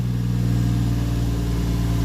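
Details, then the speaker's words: Toyota JZX110 still a little cold after connectors were reseated and the battery reset to cure rough idle: a steady, smooth low drone just under 1000 rpm, against a target of about 700, with no hunting; high idle. "so it should be roughly around 700 or almost at it that's a little high at the moment still just under a thousand"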